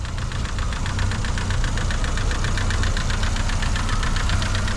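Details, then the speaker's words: Vauxhall Vectra Envoy 1.6 8v 75bhp, S-reg, about 80,000 miles, at steady low idle: fast even ticking from a noisy cam or follower, blamed on many short journeys rather than overall wear; otherwise runs sweet. "because the cam or one of the followers is a little bit noisy on this engine, which isn't so much down to overall wear, it's down to the fact that it's spent its life doing an awful lot of short journeys."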